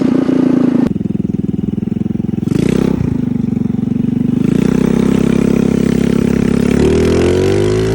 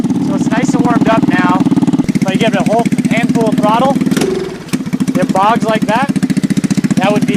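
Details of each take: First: Carbureted engine after carburetor tuning, checked with wideband: steady note picking up cleanly and settling without stumble or popping; about 12 AFR at idle, about 13 at cruise; mixture sounds right. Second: GY6 engine, carburetor being tuned, fully warmed, no choke, target idle 1800–2000 rpm: revs climb then sag into a low, flat bog before recovering; a bog is normally a lean condition, suspected, not confirmed.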